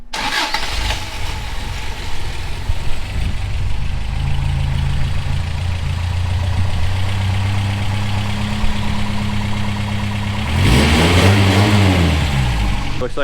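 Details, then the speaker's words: 1985 Toyota 4Runner first start after injectors plugged in: engine fires and idles slightly unevenly with a lumpy low note, then revs up; ignition timing off. "I have the timing off which is pretty typical"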